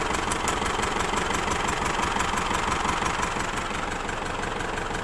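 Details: Isuzu D-Max diesel that is hard to start and smells of unburnt diesel: rough, uneven rattly clatter at idle with a steady hiss. Water found mixed in suggests a failed head gasket letting coolant into the cylinders.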